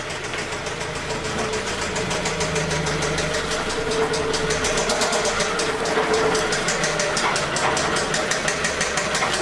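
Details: 2006 Toyota Camry 2.4L: loud, rough idle with a steady tapping knock three or four times a second; worn bottom end suspected, not confirmed, and the engine is being replaced.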